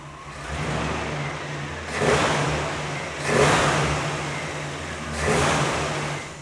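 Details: Vintage V8 with a newly installed Holley 670 CFM Street Avenger carburetor on out-of-box settings: engine runs steadily, with three clean throttle blips rising and settling smoothly, no stumble or backfire, carburetion healthy.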